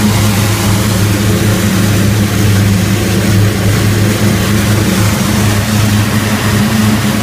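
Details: Rotec R3600 radial engine running on newly built engine test dyno stand, May 2014, after leaning mixture, head temperature rising; steady even low drone with smooth firing beat, no misses, knocks or surging; normal engine run.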